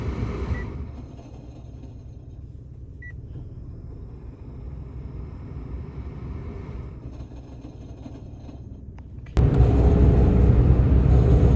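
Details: A Mitsubishi Mirage makes a low, rough grinding rumble, pulsing about four times a second under the car, with the air conditioning on; the cause is unknown.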